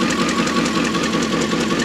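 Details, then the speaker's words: Junk Dodge Durango idling with two cylinders disabled: uneven lumpy idle with a steady loping stumble; misfire from dead cylinders. "jared wants to know what happens when you do a two-cylinder delete on your vehicle"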